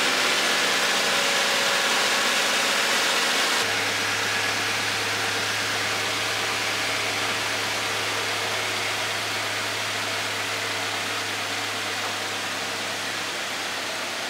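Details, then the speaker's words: 2016 Subaru Legacy 2.5, about 85k miles, just after new spark plugs, serpentine belt and throttle body cleaning: quiet, even idle with soft steady hum, no belt chirp or miss; purring, though slight smoke was seen and valve seals are suspected. "she's purring guys sounds really good"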